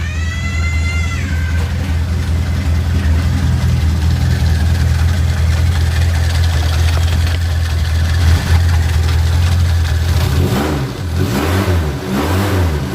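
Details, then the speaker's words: Suzuki Katana idling after the distributor turned counterclockwise to cure hard starting: low, even idle with a steady beat, no misfire or ticking, music near the end; engine now starts instantly and runs smoothly. "pilih starter langsung greng langsung didapat tenaganya enak banget Dur dan suara mesin juga akan lebih halus"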